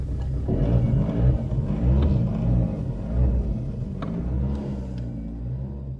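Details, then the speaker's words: Saab 900 Turbo with K-jet fuel injection running again after troubleshooting the fuel pressure and air meter plate: low rumbling idle, uneven and lumpy with wavering loudness; still rough but working. "Yeah, it's not perfect as you can hear, but it is working."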